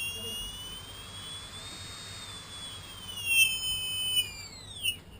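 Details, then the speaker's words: Tarot 4006 drone motor (likely not genuine), run at various throttle around hover 40–50%: thin high whistle shifting in pitch with throttle, sliding down as it slows; suspected bad bearings, not confirmed. "Probably these are bad bearings, friction here, sound."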